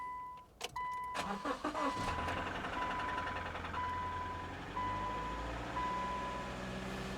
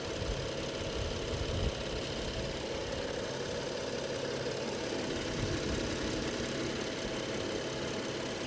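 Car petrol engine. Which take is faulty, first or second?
first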